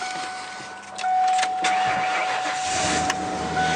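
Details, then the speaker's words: Vehicle with front and rear fuel tanks, started on the low rear tank: a chime, a short crank, then it fires right up to a smooth, steady idle with warning lights out and no smoke. A faint exhaust leak is not audible from inside. "so fires right up the uh it's on the rear tank now it's a little low but uh you click it over to front tank it's got more fuel on there you can see all the lights go out no smoking running nice and smooth"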